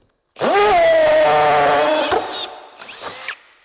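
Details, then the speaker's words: Drill switched from drill to hammer-drill setting while boring: sharp motor whine climbs then holds with a coarse buzzing rattle; much noisier with more vibration than plain drilling, little speed gain, hammer action working normally. "es mucho más ruidosa más molesto y añade vibración a tu brazo mientras lo haces"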